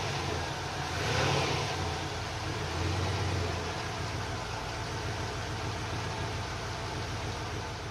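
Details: Volvo 240 GLE with LS2 V8 swap, engine refitted, first running in 8 years, restarted after refuelling with E10 cured low fuel pressure from sucking air; catches, brief rev, settles to steady idle without stumbling; normal running.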